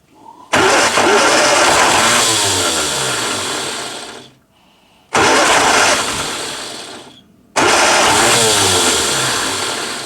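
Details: 1962 Austin-Healey Sprite Mk2, 948 cc engine, first start in over 40 years with the throttle worked by hand: in three tries it fires, revs briefly, then sputters and dies. A long-dormant engine barely catching.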